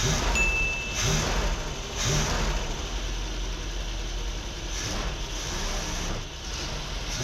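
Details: Long-sitting 1979 Dodge B300 ex-motorhome, first start after rescue: engine catches and settles into steady run with a few throttle blips; sounds healthy.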